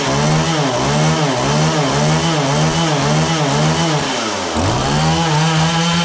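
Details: John Deere CS40 chainsaw after a replacement chain oiler was installed, possibly not fully warm: pitch surges up and down about twice a second, then sags and recovers, bogging instead of revving cleanly. Owner suspects the carburetor high-speed adjustment; not confirmed.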